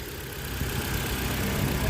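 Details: Ford Fiesta/Focus petrol engine at idle after camshaft timing, found 30 degrees out, was reset; earlier coil, plug and throttle body replacements hadn't cured hiccups: steady low hum, even beat, no stumbles; normal idle.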